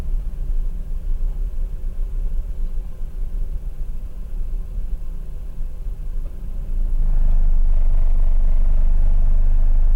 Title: Mazda RX-8 Rough Idle